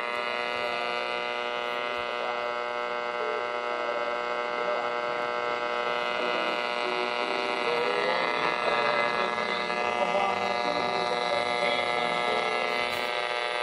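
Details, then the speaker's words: Sylvania 1-251 tube radio, about 1950, tuned to distant Nashville station on low AM band: steady buzzing hum and static under the station, unaffected by switching off room lights; cause not yet found. "um and so you can get pretty decent reception but it just it has static over it on the low stuff so that's Nashville it's trying to get which is pretty far"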